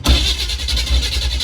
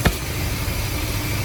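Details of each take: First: 1976 Chevrolet G10 van that sat in mud for 15–20 years, first start attempt with no fuel supply hooked up yet: it cranks with a few uneven firing pulses that catch briefly and won't hold. Starved of fuel. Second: 1976 Chevrolet G10 van with a V8, sat 20 years, running on a temporary gas tank and pumping out old gas, water pump belt not working: steady, even low rumble at idle with no knocks or misses. Normal idle.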